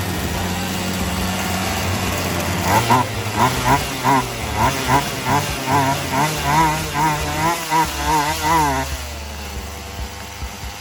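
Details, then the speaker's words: Poulan Wild Thing 2375 chainsaw after replacing gas lines and primer bulb, first run with the throttle raised: revs surge and sag about twice a second and it runs hot. Carb high/low mixture still needs adjusting. Bogging, carburetor mixture. "Running hot because of I had to raise up the throttle. Anytime you hear that bogging, it means you still need to adjust."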